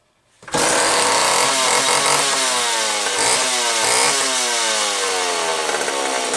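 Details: McCulloch Pro 10-10 chainsaw running after repair of bad cylinder and leaking, dinged oil pump gasket that caused a crankcase vacuum leak confusing the carburetor; good compression, buzzing two-stroke holds high even revs, running healthy and oiling well.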